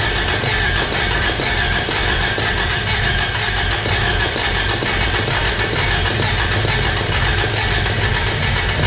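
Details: 1986 Toyota Corolla AE86 parked since 2010, cranked on a freshly charged battery: steady starter cranking with brief coughs, but it never picks up and runs; the spark plugs are to be checked next.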